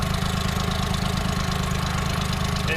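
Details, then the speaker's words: Aircraft engine that sat 15 years, run after tightening all six tops: mostly smooth but a low, throaty idle with an uneven pulse and occasional chug at low rpm; maybe a pressure-carb adjustment, unconfirmed. "the run smooth otherwise otherwise except for this uh kind of low rpm this a little bit of an idle chug and can we tell if it's lean or rich i think it's lean"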